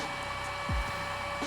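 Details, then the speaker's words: Hollyburn GS electric scooter on jack stands after a rear sprocket replacement, powered on: steady, even whir at constant pitch with no rubbing or ticking; cooling fan running normally. "all right you guys can hear that fan kicking around that's good"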